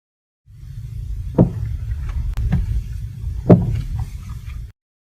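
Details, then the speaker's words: Car driving over bumps: low rumbling drive noise broken by sharp, hollow knocks from the suspension, coming directly from free play inside the stabilizer link joint, measured as axial end play on the removed part. "Bunyi ini datang terus dari dalam sambungan pautan penstabil."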